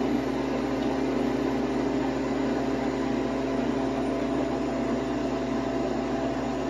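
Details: New Harvest Right freeze dryer on its first bread run, freezing stage about an hour in at 7°F: steady low hum with a constant mechanical whir, no rattles or pitch changes; compressor and pump sound healthy.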